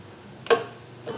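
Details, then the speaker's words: John Deere S130 lawn tractor electric PTO clutch that broke loose from its anti-rotation bracket, bench-tested by jumpering it to the battery. Two crisp clicks as the coil energizes and the plate snaps in show normal engagement. "Oh yeah, I do see the plate jumping here, lifting up a little bit with the magnet. So hopefully that means it's working like it should."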